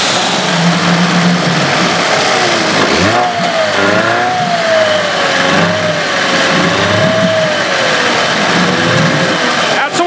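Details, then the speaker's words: Evinrude/Johnson 15 HP outboard running at steady speed, a thin high whine riding over the motor and wavering with speed; a drive shaft was swapped and the whine is less bad but still heard and felt, source unclear; motor deemed parts. "I'm still getting that whining noise it doesn't seem like it's as bad as it was with the other um drive shaft but I can still feel it you can still hear it"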